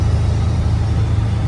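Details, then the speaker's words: 7.3 Powerstroke diesel truck climbing a gradual hill in overdrive around 1000-1500 rpm after fitting a KC 300X Gen 3 stage 1 turbo, Riffraff up-pipe kit, deleted pedestal and boost fooler: steady deep rumble, no lugging or surging; normal pull under load. "And that was all like around 1500 RPMs. It just right up it. No problem."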